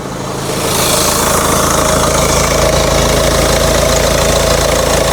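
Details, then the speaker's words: Ford Kuga 1.5 (2017 or 2019) that died while driving and would not start. After a broken wire was repaired and temporarily connected, it starts and idles normally: even, steady low hum with no misses or stumbles. "Отлично. Есть. Ну всё, автомобиль запускается, работает."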